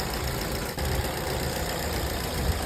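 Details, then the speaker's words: Car that would not start in daytime, after fixing a leaking fuel-tank vapor (purge) solenoid valve that flooded the engine with vapor; it starts at once and idles steadily and smoothly with no knocks or misses; normal idle. "在问题已经彻底解决了，发动机运行的特别平稳。"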